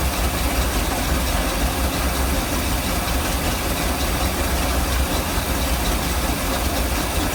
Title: Mercruiser 454 rough idle